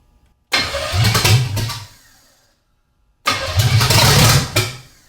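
Two short bursts where the V8 catches, roars unevenly for about a second and dies; it only fires on starting fluid, with no steady fuel.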